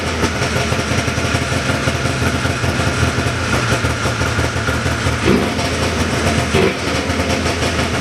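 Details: 1979 John Deere Cyclone 340 two-stroke snowmobile after carb cleaning: steady, fast burble holding an even idle, a touch high but smooth with no misses; air box still off. Normal idle.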